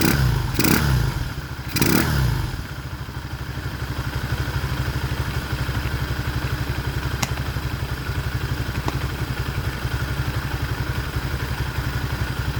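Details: Motoland 166FMM (165FMM) 250cc single-cylinder engine, first start after repair: after a couple of blips it settles into an even, steady idle thump of about four beats a second, running smoothly.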